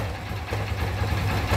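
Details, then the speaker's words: Motorcycle at idle: a loose, rapid metallic rattle from the clutch side of the engine that stops when the clutch lever is pulled and returns when it is released. Worn clutch basket. "vai acionar a manete de embreagem acionou acabou o barulho são tô embreagem voltou para o novamente viu aí galera como é simples identificar o barulho de Campana e saber se ela tá com problema ou não simplesmente apertando a embreagem"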